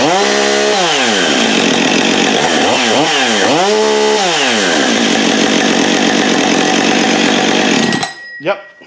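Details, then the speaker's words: Husqvarna 562XP chainsaw after repair of an air leak: revs up and snaps cleanly back to a steady even idle with no hanging or surging; normal idle, no more air leak. "gonna be a good runner right there that sounds right comes right back to idle the way it's supposed to you know which means it has no more air leak"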